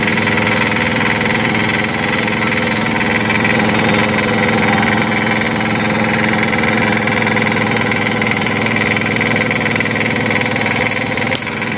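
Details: Crown CDP 80 3-inch diesel water pump, filled with diesel, oil and priming water: loud steady clatter with quick even thumping holding speed under load; runs strong and healthy.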